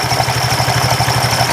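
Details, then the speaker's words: Honda Vario 125 scooter revved hard: a quick, even rattle of about ten knocks a second over the engine, worse than at idle. The pulley is visibly wobbling with unstable rotation. CVT rattle from worn driven pulley. "Saat digas kencang, keadaannya malah semakin buruk, saudaraku. Lihat, rotasi di sini tidak stabil, saudaraku. Ini bergoyang seperti ini."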